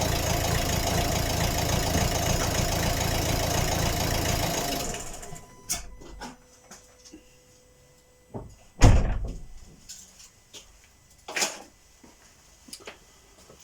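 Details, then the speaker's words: Volvo diesel at cold idle with a loud, harsh knock and smoke; owner blames the injectors, suspects one or two are bad, and plans to replace all four with used units. "voilà vous avez bien entendu comme une claque ne faisait pas l'odeur mail plus et elle fume aussi"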